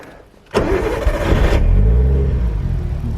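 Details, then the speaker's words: Cold engine after flat battery, temperature rev limiter active: short crank, catches right away and settles to a steady slightly rough idle; starts quickly, black smoke on rev, owner suspects unburnt fuel or low/old fuel. "but at least it's starting quickly now"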